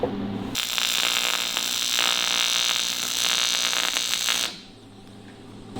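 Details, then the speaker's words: Welding a cracked Harley 45ci engine casing: steady crackling arc buzz pulsing about four times a second, even throughout, on clean aluminium, giving a clean weld with no inclusions, unlike oily areas that blow out. "That's clean aluminium, you see, you get a nice clean weld, no shit all over it like that, because it's blowing oil out of it all the time."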